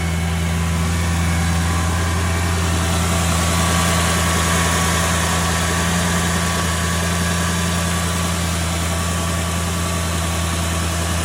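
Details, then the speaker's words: 2004 Mercedes C55 AMG (M113 V8), after replacing the steering fluid reservoir and the oil filter/cooler seals, idling to cycle the steering fluid and purge air: a deep, steady V8 idle with an even low rumble and no knocks, ticks or squeals; running smoothly. "so we'll just start it up and we'll just let it um cycle around for a bit"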